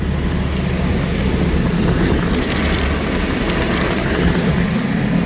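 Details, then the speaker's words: 2013 Chevrolet Express van, V6, running on its original PCM after an earlier extremely long crank with no RPM signal: steady, even low rumble with no misses, knocks or surges; normal running. "So, it runs with the original PCM. This is it running."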